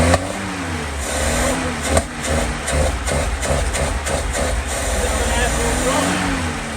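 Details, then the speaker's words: 1963 Humber Sceptre that stood 7 years, newly started after plugs: steady idle ticking over on its own, picking up cleanly on revs and settling back; clutch seized, separate issue. "Well, it's ticking over on its own."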